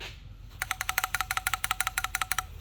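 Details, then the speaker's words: Idle control valve from an M60B40-swapped BMW E34 shaken by hand: about twenty quick, sharp light rattles in two seconds as the internal shutter moves freely; the valve works. "there's noise so i think this one's gonna work fine"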